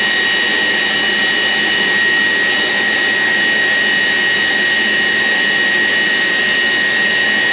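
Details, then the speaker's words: 14-year-old Taft Viper RC jet ducted fan, ESC armed, throttle blipped: strong steady high whine with even rushing hiss at constant pitch; normal ducted fan run. "Now that in theory should work. As soon as I blip the throttle, away it goes."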